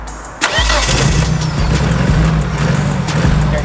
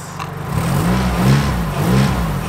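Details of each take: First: Nissan S13 200SX four-cylinder just started after wiring-loom repair; catches and drops into a lumpy, uneven stumbling idle, running on three cylinders with a huge misfire. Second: Nissan S13 200SX after the misfire's wiring was soldered and the connector refitted, now firing on all four: the engine climbs and drops cleanly through a couple of blips with no stumble or popping. Normal revving.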